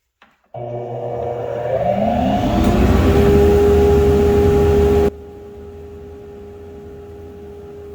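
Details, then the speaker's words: Homemade 2 HP cyclone dust collector from a modified Harbor Freight unit: motor spins up with rising whir to a steady even hum with airflow rush, then cuts off; quieter than expected, runs normally. "Actually, it's not even that loud. I'll leave the volume on for a second so you can hear it, but it's really not as bad as I expected."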